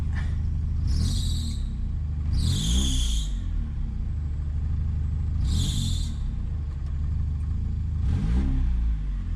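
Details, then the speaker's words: 1991 Honda Prelude Si engine with AC on, revved: each rev brings a sharp, high, second-long squeal that fades as revs drop. The AC belt appears to be slipping; the owner wonders whether it is too tight, and it is later replaced. "see it squeaks with the AC on see what happens if I rev it"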